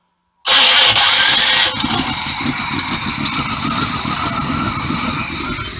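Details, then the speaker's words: 1985 RV with a Chevy 454 V8, cold start with the choke already set, after new spark plugs and plug wires: fuel pump whirrs, then the engine catches quickly and settles into a steady, even low idle near 500 rpm; normal cold start. "i can hear the fuel pump kicking in"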